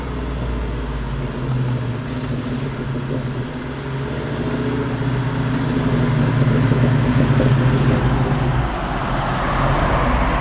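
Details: 1996 Mustang Cobra V8 under hard acceleration: a deep drone with a rough grinding rasp rising mid-pull, intermittent and only when driven hard. Owner unsure whether it's transmission, clutch or rear end.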